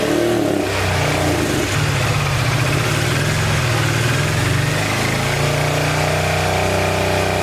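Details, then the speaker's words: 1986 Honda VT500 Shadow V-twin, long-stored, after the coils were regrounded: lumpy idle with a low drone, only one cylinder pulling cleanly; water is still coming out of the airbox, and owner suspects overheating. "i regrounded the coils and that made it crank up and it wants to run on this rear cylinder but we still got water coming out of the air box"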